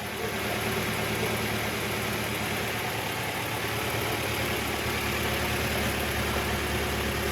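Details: 1.8-liter Mazda Miata with cylinder 1 misfire despite new plugs, coils, wires, checked cam sensor and vacuum leaks: uneven loping idle with periodic exhaust skip; injectors suspected, not confirmed.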